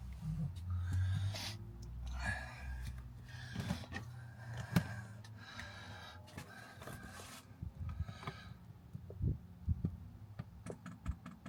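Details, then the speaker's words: 5 kW Chinese diesel heater at first startup, powered by a Jackery 1000 v2: light, even ticking of the dosing pump priming the fuel line with some air in it, which is normal. "That's it priming. You can hear the little ticking."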